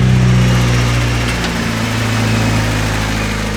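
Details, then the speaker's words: Turbo Honda Civic with a new Evil Energy adjustable fuel pressure regulator, fuel pressure around 30 psi: a steady low idle with an even, smooth hum and no knocks or misses after starting. Normal idle. "Well guys, with this new fuel pressure regulator installed, this thing is running almost perfect."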